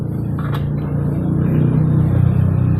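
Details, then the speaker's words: Honda Beat FI injected scooter that won't electric-start: the starter only gives a low, strained nguk-nguk groan and can't spin the engine; it runs on the kick starter, though kicking is very heavy: weak starter cranking. "Maksudnya enggak kuat starternya cuma bunyi nguk nguk nguk ya. Tapi kalau di engkol itu motornya hidup, cuma engkol-engkolannya itu berat."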